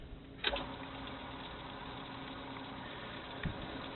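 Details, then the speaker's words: Frameworks ball lift after replacing the lower pulley wheel, whose worn bearings had caused knocking. Quiet, even running with only a couple of faint bumps and no repeating knock; it sounds smooth and healthy. "and smooth quiet no knocking I think we accomplished what we are trying to do here"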